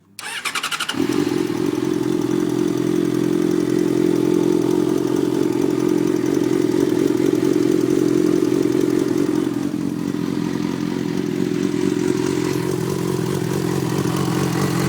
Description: I was wondering if this is the normal ticking noise these fz6's are supposedly known for.